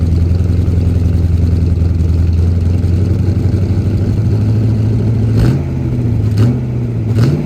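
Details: 1977 Holden HX Statesman Deville, 308 V8 with Turbo 400, sitting about 20 years, first run on fuel poured into the manifold: deep, steady idle with even low rumble, then three clean throttle blips; running healthy.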